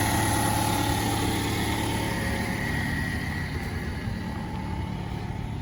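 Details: 2011 Toyota Camry 2.5L four-cylinder, about 367,740 miles, owned since new, cold start at roughly 25°F: steady, even idle with smooth regular pulse, no knocks or ticks; normal healthy cold start idle.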